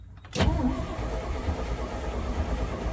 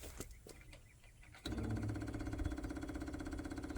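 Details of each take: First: Cab-over (COE) truck after reinstalling the gas tank, cranking on a battery jumper with some gas given: steady low even churn but never fires; crank no start, owner suspects too little fuel, choke lever also sticky. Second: International cab-over truck after reinstalling the fuel tank and feed line, with about five gallons added: quiet until key-on, then a steady whirring buzz with a light even pulse. Fuel pump running and picking up fuel.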